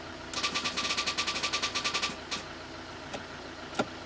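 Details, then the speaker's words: Movano 2.8 DTI (Master 2 base) van after starter refit and jump attempt, ignition on: quick run of about fifteen even clicks, roughly seven a second, then scattered single clicks; relays chattering, dashboard acting up, traced to a bad ground. "Je sais pas si vous entendez mais ça clique dans tous les sens. Ouais, il se passe plus rien."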